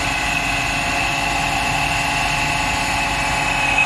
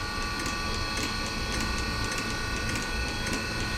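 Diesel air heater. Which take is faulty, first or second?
first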